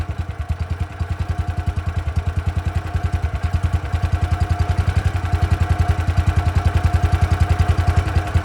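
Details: Engine drive on Victoria during tune-up, about 50°F: slow thumping low idle at about three and a half pulses a second, beats uneven and swelling; idle not settling, owner suspects governor or carburettor.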